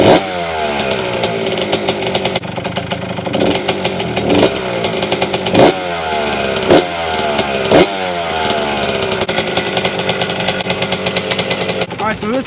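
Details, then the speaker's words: 1992 Suzuki RM125 two-stroke, started choke off after the choke was adjusted to stop excess air: crisp crackle with sharp throttle blips, revs rising and falling cleanly, no bogging; slight muffler rattle remains. Normal running. "is running great it's not screaming loud like a banshee run a break so I'm super super happy"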